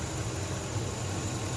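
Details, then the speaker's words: Ford F250 5.4 Triton V8 idling after repair of a bad tick from the passenger-side fender (suspected roller follower/lifter); new plugs and passenger-side lifters fitted; steady low rumble, no ticking or knocking, runs smooth. "It sounds like a sewing machine, baby. Nice smooth running 5.4."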